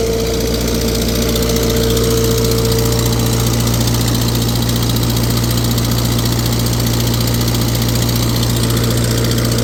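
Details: Tractor on a PTO dyno, pulling 35 hp at 500 rpm: a loud, steady drone with rapid raspy puffing under load from a cracked exhaust manifold that had been JB-welded.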